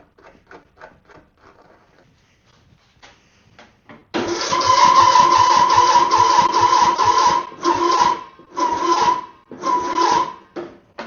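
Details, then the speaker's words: Mower with the battery reading 12.6 V: harsh, strained cranking bursts about four per second, cut short, no firing. The owner suspects the super-tight deck belt acts as if engaged and stops the engine turning smoothly. "Is it because this belt is too tight? Deck belt is like, it's like super tight. So I wonder if it's like stuck in the on position, even though it's not, and that's stopping the engine from turning over smoothly."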